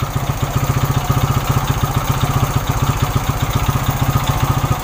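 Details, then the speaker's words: Suzuki Shogun 125 cold, fast idle while warming up (dies when hot, ignition/pulser suspected): hard coarse beat about four pulses a second; rough running, connecting rod suspected worn and needing replacement. "sebenarnya motor ini suaranya sudah kasar dulur untuk stang pistonnya Kayaknya sudah kena dan harus diganti"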